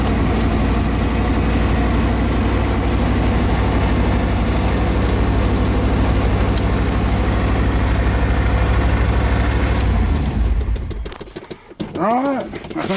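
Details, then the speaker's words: 1993 Chevrolet 3500 wrecker, 5.7 350 TBI, first start in years: deep, even running for about ten seconds with no knocks or misses, then shut off; no smoke, good oil pressure assumed; normal running. "think that's it running good no smoke no knocking good oil pressure we assume anyway no tapping or knocking"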